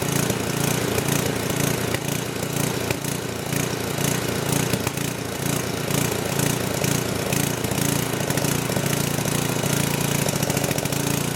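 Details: Old 10hp gasoline generator converted to propane/LPG using only the regulator of a cheap eBay aftermarket carb kit; after the governor spring was backed off, revs swell and sag in a slow repeating gallop (hunting); cause unconfirmed, owner doubts the regulator is too small.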